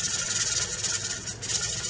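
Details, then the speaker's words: Pressure canner processing potatoes on a gas stove, around 10–13 lb: steady steam hiss with the weight fluttering and rocking; holding the right pressure, working normally. "and that's when you know three to two to four times per minute and you know that it's at the right poundage"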